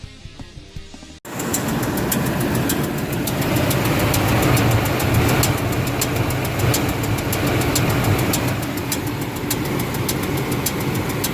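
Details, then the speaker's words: 1998 Ford F-150 4.2 V6: sharp metal-on-metal ticking about three times a second while running, traced under the valve cover to a misaligned rocker arm. "so that is the noise if you can tell in the video it's metal-on-metal"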